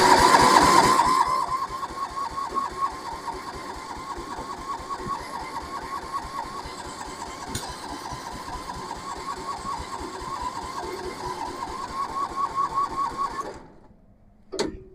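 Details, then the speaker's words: Massey Ferguson 7 lawn mower sitting many years: steady cranking about four strokes a second that never fires; throttle not working, owner thinks it needs the carburetor mixture screw turned out more; lean fuel mixture, crank no start. "no I don't think that's it I think she needs a little bit more twist that screw in the carburetor out"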